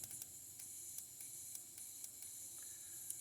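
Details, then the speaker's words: Fuel injector bench-tested with fuel pump on and power applied: faint, sharp hissing clicks at irregular intervals over a high hiss; injector opening and spraying fuel properly, no replacement needed. "you probably won't be able to hear it on camera at all but i can definitely tell this one's spraying fuel"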